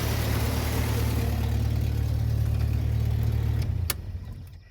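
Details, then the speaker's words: 1995 Jeep Wrangler idling after exhaust manifold gasket replacement, bolts torqued to 30 ft-lb: smooth, even low idle, no manifold ticking or puffing, much better than before, then clean shutoff; normal. "and then I put the intake box back on and this is what it sounds like now. And as you can see like I said, much better."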